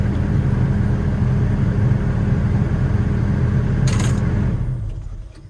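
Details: Doosan DX140LC-5 excavator diesel after a heavy relay at the back was replaced to cure a no-start: deep, even rumble holds steady, then winds down smoothly at shutdown; normal idle.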